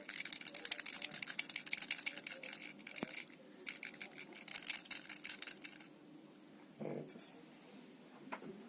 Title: Remax Flinc 5000 mAh powerbank new rattling sound